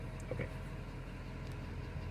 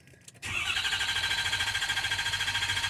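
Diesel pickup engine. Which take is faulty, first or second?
second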